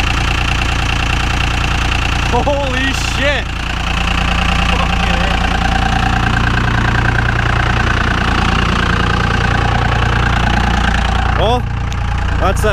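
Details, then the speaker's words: VP44 Cummins diesel after a cold start at -25 in B.C., Canada: a raised idle with a steady but slightly lumpy beat, the three-cylinder cold high-idle warm-up mode, with exhaust gas temperatures around 600. "that three-cylinder high idle. We're sitting at just about 600 EGTs right now."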